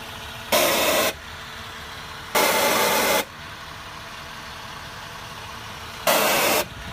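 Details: 2009 Acura MDX after idling a few minutes at night: loud hiss bursts under a second long come and go irregularly over a quiet steady idle, as if something is venting in the engine bay; cause unknown.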